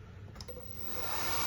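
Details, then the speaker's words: Fiat 500 electric conversion, rear-mounted motor on the gearbox with no gear engaged and clutch fitted, controller in drive via 12V battery: soft whirr climbing in pitch and loudness with throttle, smooth with no knocks; motor spins up normally. "You can actually hear the motor revving up. And this motor is mounted to the gearbox. There's no gear in now, of course."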